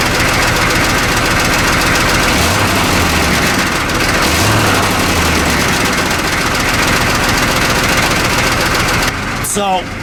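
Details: 1985 M1028 CUCV 6.2L diesel with stock 2¼-inch dual exhaust, loose brackets, hanging crooked and low, possibly holed: uneven metallic rattle, about three to four a second, over a steady idle.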